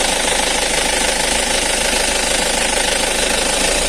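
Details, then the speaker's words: Used Isuzu Elf microbus diesel at idle during pre-purchase check with oil filler open: steady, even clatter, no stumbling or puffing; judged healthy, no sign of anything mixed in. "itu enggak ada yang ngoplos nah aman ya"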